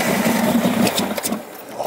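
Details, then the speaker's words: 1971 Lamborghini Espada Series II V12 barn find on a non-standard fuel pump, throttle pumped: the starter churns and the engine coughs once, very nearly firing, then dies; it cranks but won't start, suspected slight flooding. "it tried to stumble into life very nearly fired it did but because we're running on you know the non-standard fuel pump we're trying to kind of balance between flooding it yeah which we have and starving it"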